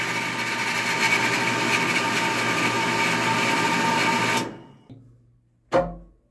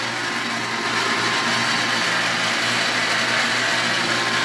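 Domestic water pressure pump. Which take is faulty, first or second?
second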